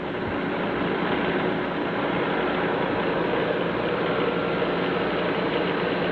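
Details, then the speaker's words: Delta 31-260x drum sander running with the drive feed motor off, before any sanding and free of dust; an even, steady rushing hum with no thumps, rattles or bearing growl, the drum smooth and well balanced, bearings sounding good quality. "So everything's very smooth and well balanced. And you can tell the bearings are pretty good quality."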